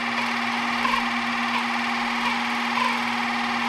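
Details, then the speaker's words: 3D-printed RC outboard with greased gears, running in at low throttle: steady electric motor hum with even whirring gear note, hunting reduced, now much smoother and holding the same RPM. "I mean right now you can you can already hear how much better it's running so it's it's a lot smoother it's um it's staying at the right the same RPM"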